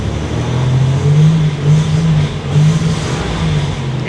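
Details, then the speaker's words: Buick Grand National engine idling: a low note that surges and sags unevenly, stumbling and cutting up as if about to die, with rattling. The idle is not at 750 rpm with the idle air control valve disconnected, so an idle set-screw adjustment is needed. "yeah it's going to want to die again I think hear it kind of cutting up"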